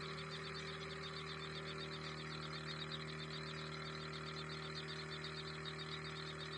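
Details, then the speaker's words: Spray motor in a panel box drawing water from a drum for drip irrigation, with an automatic cutoff that stops it when the liquid runs out: a steady electric hum with a fine buzzing whirr, even in level and pitch; normal running. "तो अब तो हमारी जो motor है वो चालू हो गई है।"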